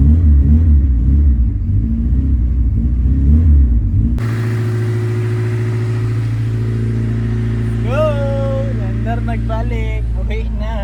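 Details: Honda Civic EK hatch after engine rebuild, fifth start attempt after three months off: several seconds of cranking, then engine catches into a steady low rumble; runs, but idle not yet set.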